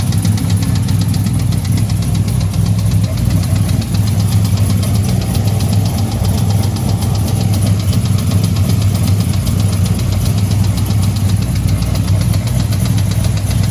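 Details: Cold start the morning after a tick appeared on the drive home; petrol engine recently rebuilt with new cam lifters, heads and valvetrain: quick, even tick over a low idle rumble; owner suspects an exhaust leak, unconfirmed.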